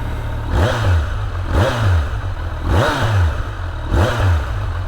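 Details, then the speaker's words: New 2023 Kawasaki Z900 four-cylinder, quiet exhaust; deep smooth burble with four quick throttle blips, clean and even, normal idle and revving. "sounds great though"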